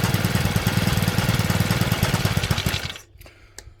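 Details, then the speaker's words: Stihl FS65-4 four-stroke petrol strimmer with badly overfilled oil; warming up after cleaning and reassembly, engine chugs at a fast uneven beat, about two pulses a second, then cuts out; exhaust steaming as oil burns off, exhaust to be removed and checked. "Right folks, so there we have I mean, you can see it's steaming there. I'm gonna have to take that exhaust off and just make sure it's clear."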